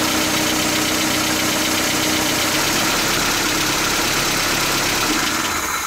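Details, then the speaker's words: 1977 Toyota pickup idling after a new rocker arm assembly was fitted and valve lash adjusted: even, busy idle, much quieter, no top-end ticking, carburetor now more audible; healthy valve train. "oh yeah definitely sounds a lot quieter now i can hear that carburetor going a lot more"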